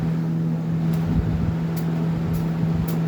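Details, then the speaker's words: Lasko 3723 box fan on high speed; the owner suspects the motor may be spoiled or the blades warped. A steady low hum with an even tone and no knocks or rattles: high speed is running within spec. "Well, high speed's definitely running within spec."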